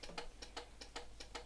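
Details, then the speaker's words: 1978 Honda CB400T, long unused, weak battery: rapid, even turn-signal relay clicks about two and a half flashes a second; hyperflash because the rear blinker bulbs are missing. "it brings blinks really fast because the rear blinkers as you can see are missing so they don't work"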